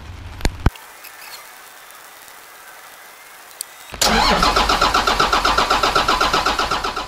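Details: 1991 Ford F350 with a CAT 3126 diesel swap and newly added electric lift pump: long run of even cranking pulses, about four per second, without firing; hard start, long cranking, cause later found and fixed.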